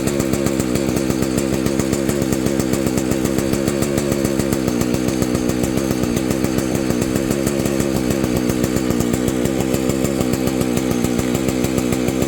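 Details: Vintage Husqvarna 285 chainsaw rebuilt with replacement cases and cylinder: steady, even high-revving buzz with a consistent firing beat, no misses. Normal running, though the owner says it later stalls after idling and suspects ignition.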